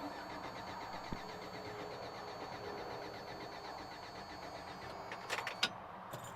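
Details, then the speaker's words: 1993 Toyota Pickup with about 2 gallons fresh fuel added, owner suspects airflow meter or low compression: even rhythmic cranking that never catches; no fuel delivery. "and it does not want to start so I'm going to go ahead and I'm going to actually Jam this screwdriver in the airflow meter to hold it open so that the engine thinks it's getting air and kicks the fuel pump on"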